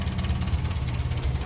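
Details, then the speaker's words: 1957 Ferguson 35 TVO tractor, warm, idle dropped to about 400 rpm: slow, lumpy low thumping, barely running, nearly pinking; idle set far too low, low-speed setting not readjusted since needle valve work. "now that's way too low so 400 you can hear it actually pinking nearly there"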